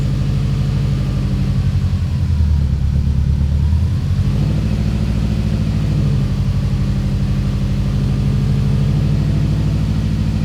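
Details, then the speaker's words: 2004 Subaru STI boxer engine, started after sitting over 2 years: starts without fuss, brief higher warm-up idle settling into a steady, even low rumble with no misses or ticks; healthy idle. "And And with the door open, a final check done on the car, it's finally time to go ahead and start the STI. And just like that, it started up without a fuss."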